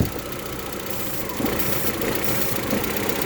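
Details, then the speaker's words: 1.8T Audi A4 after ignition coil harness replacement, first start after months sitting: steady, even idle over a light hiss with a vacuum-leak hole under the intake plugged by finger; smooth idle. "hey good news guys it works like it actually works and the engine sounds good as long as my fingers plugging this hole down here under the intake"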